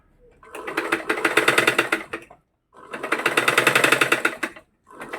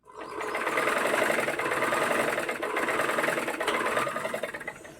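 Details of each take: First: Single-needle sewing machine running; bursts of fast, harsh clattering about four knocks a second, traced to a loose nut and bolt under the handwheel. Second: Single-needle sewing machine after loose nuts and bolts were tightened with 10 and 11 spanners and a screwdriver: fast, light, even whirr with soft ticking, the earlier rattling clatter reduced; normal running.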